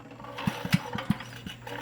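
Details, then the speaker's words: 1990s Troy-Bilt Horse PTO tiller, Briggs & Stratton engine, died after a backfire-like pop while tilling: a few irregular light valve clicks while cranking, no firing, zero compression, still drawing fuel; owner suspects valves or rings. "And it's not going to because there's zero compression, obviously, so something broke."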